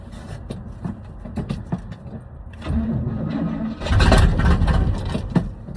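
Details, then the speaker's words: 1979 Chevrolet C30 with a fresh battery and fuel poured into the carburetor: slow, laboured cranking that briefly fires then dies; weak cranking, and the owner suspects the starter needs replacing. "It made a noise. Oh, that sounds weak. Probably need a new starter, but it fires."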